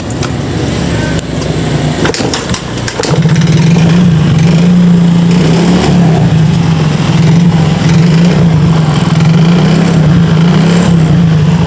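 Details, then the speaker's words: Yamaha Mio GT scooter engine starting on a new spark plug, with worn piston rings letting fuel mix with the oil. The old plug was wet from poor combustion. It starts raggedly, then holds an uneven, lumpy low drone with heavy smoke. "basah akibat pembakaran yang kurang sempurna ini karena ringnya sudah termakan usia ring pistonnya jadi bahan bakar bercampur dengan oli mesin terjadilah seperti ini"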